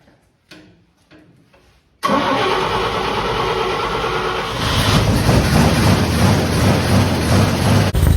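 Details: Fire-damaged 1951 Chevy, carburetor stopped leaking after it was tapped: a few clicks, quick catch, then steady, even idle with a slight lift in speed; runs smooth, normal idle.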